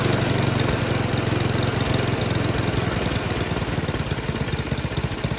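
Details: Noma/Murray Snow King 27" dual-stage snowblower, 9HP Tecumseh, after HIPA carburetor replacement: the single-cylinder pulls steadily at high revs with even firing and no stumbles or knocks. Normal running; the owner wants to lower the full-throttle speed.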